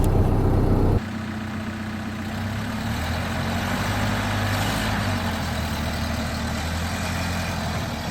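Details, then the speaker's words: 1930 Ford Model A pickup, off the road since 1986, after fuel tank cleaning for clogging and fuel starvation, test drive uphill on light throttle: steady, even low four-cylinder rumble, no misses or stumbles; healthy engine under load. "Feels good. Feels all right. Not giving it too much gas or anything. It's going no problem."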